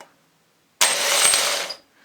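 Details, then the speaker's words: Salvaged Jaguar X-type/Ford Transit/Mondeo starter motor bench-tested before repair: about one second of thin, weak, labored high whirring; it works but poorly, later fixed by cleaning and oiling. "oh it works but not very good doesn't sound very clever does it"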